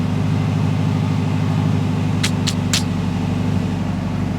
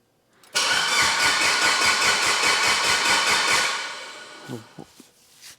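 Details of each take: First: Mitsubishi Evo 8 restoration, idle just after first start-up after long storage with 85 PSI oil pressure: steady even low idle, no knocks or misses, a few light chirps in background; healthy. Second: Abandoned Evo 8 under restoration, crank sensor fitted, plugs back in, temporary wiring and fuel pressure regulator; starter spins strongly with even compression pulses but never fires, and no cranking RPM signal is read; cause suspected, not confirmed.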